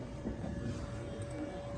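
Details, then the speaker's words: Lab three-phase motor on a forward/reverse controller with a variable speed drive, after the stop button opens the forward contactor: a steady low hum fading with no clunks or scraping as the motor coasts cleanly to a stop. "And we hear contact open. Verify. Forward contact open. Contactor open. And motor is coasting down to a stop."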